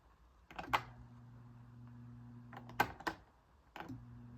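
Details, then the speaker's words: 1990s SMC Super 16-inch oscillating desk fan, first test run: switch clicks, then a steady low electrical hum with no rising whir of blades. Motor energised but apparently seized; owner suspects a failed capacitor. "okay so it seems to be Caesar the capacitor shot"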